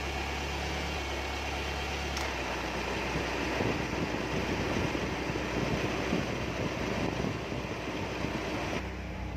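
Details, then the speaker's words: Car AC compressor at idle: the hum shifts as the magnetic clutch cycles, then a rough, gritty rushing rides the engine. The old clutch pulley bearing is worn rough from clutch slipping and heat, compared with the new clutch set. "you can hear it clearly the pulley bearing is making a bit of noise sound its make rough sound each time the clutch tries to engage or disengage"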